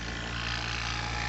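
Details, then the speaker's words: A/C vacuum pump hooked to car low and high sides, valves opened, pulling a vacuum on the system (to run 35 minutes to an hour): steady, even motor hum with low drone, no knocks or rattles; pump running normally. "You want to make sure all of them closed, and you'll see it pull a vacuum. And what you want to do, you want to let this pull a vacuum like for at least 35 to 45 to an hour."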